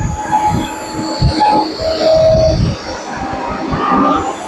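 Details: CNC turret machine after replacing the support-end and motor-side bearings and the coupling: a wavering tonal hum shifts pitch while jogging the Z axis, while the X axis is silent. Servo motor parameters are to be readjusted.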